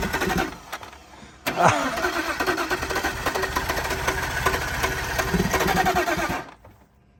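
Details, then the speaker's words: BMW E46 engine after an engine fire, oil still holding antifreeze sludge, cranked on battery: starter spins it freely for several seconds with an even churning rhythm but never catches; not seized, cranks without starting, smoke seen. "It sounds like it would start. It's not locked up."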